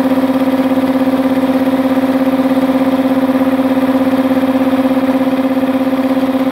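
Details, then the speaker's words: Multipro 2 HP (2.2 kW single-phase) air compressor after cleaning dirt from the check valve, filling tank: steady drone with clear mid tone and fast regular pulsing, no hiss or knock; leak fixed, normal running. "समस्या का समाधान कर दिया गया है ताकि यह इस हिस्से से अब लीक न हो, जिसका अर्थ है कि क्षति का समाधान हो गया है"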